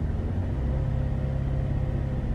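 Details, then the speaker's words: Chevrolet Traverse after replacing bad spark plugs that caused misfires, surging and rough idle, following relearn: steady, even low rumble held at 1500 rpm, no stumbles or stuttering, no misfires on scanner; normal. "1500 we still have no misfires so we had some bad spark plugs that is cool we fixed it it's not stuttering like it was either"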